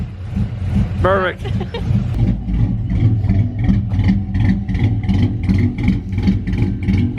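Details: Big-cam GM 5.3 V8 in a truck, first start after swap: heavy uneven loping idle with deep pulses about two a second; the four DOD cylinders are not firing because the DOD valley connector was unplugged.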